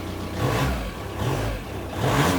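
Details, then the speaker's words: VW Caddy 1.9 SDi diesel with intermittent loss of throttle response, ECU and throttle position sensor contacts suspected: idles and picks up cleanly on each throttle blip. Works today, but owner expects throttle to drop out again when driven. "so now it works absolutely fine but I guarantee you you drive down the road 2 mil and the throttle will disappear"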